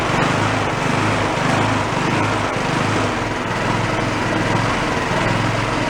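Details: Garage-sale two-stage snowblower small engine started on choke with a squirt of fuel: it runs ragged and unsteady with a wandering beat. Debris (a white speck) was found partly blocking the carburetor jet.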